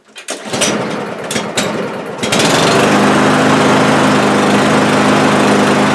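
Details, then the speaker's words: Cub Cadet lawn mower that starts then stalls: a few cranking bursts, then buzzing run with uneven flutter; owner suspects fuel starvation, rules out spark plug and coil; smooths out after about ten minutes of rough running. "okay I think you get the idea and if I leave it here long enough take about ten minutes of rough running like that then it'll smooth right out and work fine for the rest of the day"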